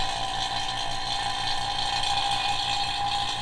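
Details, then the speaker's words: Vacuum pump pulling down the Ferrari F430 AC system after the compressor replacement, before charging 750 g of R134a; steady drone and hiss, pitch changing as moisture is drawn out; normal. "so we're going to let this run for a good 5 minutes we actually should see it stop producing moisture once there's little to no V or once there you know everything's sucked out of it see how it's getting less and less"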